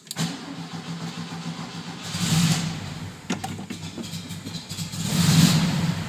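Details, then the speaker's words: 1972 VW Fastback with fuel injection, fresh rebuilt generator and new regulator charging about 14.2 V. It runs rich, worst when first started cold, and puffs black smoke when revved warm. Engine catches with uneven surges and sputters, never settles to idle, then stalls. "running so rich especially when you first crank it up cold and then it's not as bad later on"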